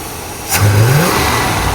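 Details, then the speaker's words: International Scout, back running after 18 years off the road, with vacuum advance just hooked up and backed off: engine catches and revs cleanly, pitch climbing smoothly with no misfire or stumble; timing good, healthy normal running. "That sounds a lot better. Just another little scope. Oh, that sounds good."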